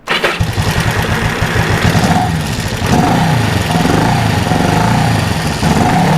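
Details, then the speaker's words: 1974 Honda CB360 twin with pod filters, kick started after carb jet tuning: lumpy, uneven idle with gaps in the firing beat, running on one cylinder; owner suspects that carb lacks fuel from fuel-line vapor lock. "It's only running on one cylinder. That one is always the culprit. Probably cuz it doesn't have any fuel in it."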